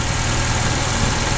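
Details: 2004 Honda Accord 2.4 L petrol, no fault codes, before repair: rough uneven idle with a stumbling beat dropping a pulse every few turns; single-cylinder misfire, no spark on one cylinder, later confirmed a shorted ignition coil.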